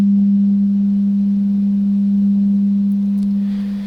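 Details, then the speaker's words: Clean steady low tone around 200 Hz from a 1960s long-range radio receiver's speaker after reshaping the cone to correct buzzing; no rattle or buzz remains, repair successful. "you can hear how nice that sounds no more buzzing there at all"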